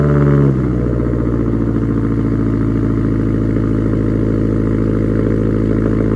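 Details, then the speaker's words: Subaru STI cold start after sitting two months unstarted, cold weather: short crank, catches and settles into fast even cold idle with steady low burble, no knocks; normal cold start. "let's go ahead let's start it up and uh hear what it sounds like from my complete cold start after two months"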